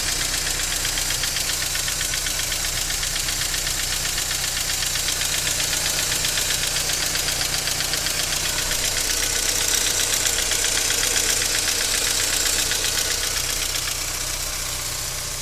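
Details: BMW E46 318i 118 hp cold start: fast, even metallic ticking from the top end that sometimes stops and returns after revving; solved by replacing hydraulic lifters.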